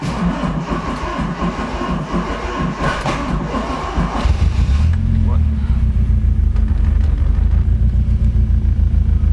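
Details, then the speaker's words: Toyota AE86 Trueno with turbo 4A-GZE engine awaiting rebuild, started after long parking: catches after a few seconds and settles into a lumpy, uneven wavering idle; owner suspects long parking, blow-by smoke visible; cause unconfirmed. "yeah so it's still starting I sound a little weird and idle is not as smooth you maybe just being parking for a long"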